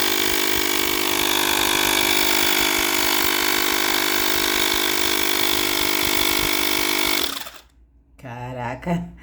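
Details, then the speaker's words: Mini air compressor (tire inflator) with its broken on/off switch replaced by an adapted actuator switch: steady, strong motor hum with a clean even whine for about seven seconds, then winds down; normal motor run. "spins beautifully here, huh? This thing is really powerful here, huh?"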